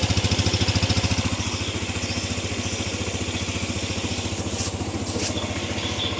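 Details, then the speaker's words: Used scooter, about 9,000 km on the odometer, hard to start at first but fine after two or three starter tries, fresh oil: even, steady putter at idle with regular pulses, no knocks or misses; smooth normal idle. "Tapi nanti setelah kedua ketiga sherter dia udah cukup bagus dan mesinnya juga halus nih teman-teman."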